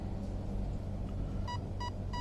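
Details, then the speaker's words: Arc 1 speed controller in program mode cycles its layers: 1 beep battery, 2 beeps endpoint adjustment, then three short clean beeps about a third of a second apart over a low hum for the third, profile/driving-mode layer. "1 beep for battery, 2 beeps for endpoint adjustment, and 3 beeps."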